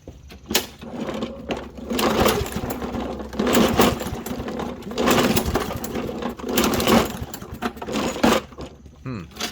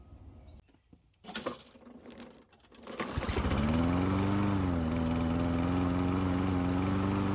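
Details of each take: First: Toro Recycler push mower that runs on starting fluid but won't stay running: repeated recoil pulls about every 1.5 s, engine spins but never fires; no start, likely from a clogged carburetor jet. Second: Toro Recycler push mower that ran only on starting fluid, after carburetor jet cleaned with brake cleaner: catches and settles into a steady, even run at constant speed with no misses or surging.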